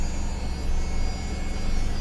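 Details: 1995 Toyota 4Runner that cranked without starting, with code 12 and no spark, after the distributor was replaced and aligned to cylinder one: it starts and settles into a steady, even idle with no misses or knocks, running normally.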